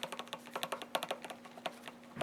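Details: Haag-Streit slit lamp joystick rocked back and forth: quick, uneven plastic-and-metal rattling clacks from worn brass control handle and upper bearings; fix is replacing them.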